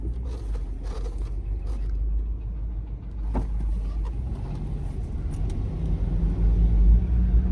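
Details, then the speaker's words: Lexus GX470 with 2UZ-FE V8, running in drive with a low uneven knock about three per second and lurching; owner suspects internal engine fault, engine being replaced. "So, you put it in drive. It's like knocking. See if you can hear it. It like lurches."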